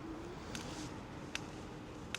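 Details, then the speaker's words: Ausom DT2 Pro electric scooter at 209 km, while riding: short sharp creaks about every 0.8 seconds over a quiet background. Source not found; owner plans to grease it. Not a safety issue, just unpleasant. Creaking noise. "J'ai 209 km au total. Bon euh, j'ai un bruit un bruit de grincement de de Attends, je vais te montrer."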